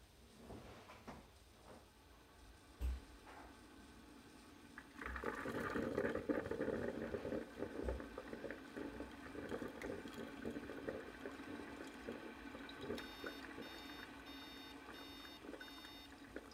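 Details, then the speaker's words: Ninja coffee maker gurgles as it starts brewing, then stops with five quick high beeps and the brew light goes off; likely air bubbles trapped in the water line. "those five beeps showing that it stopped brewing the brew light has gone off"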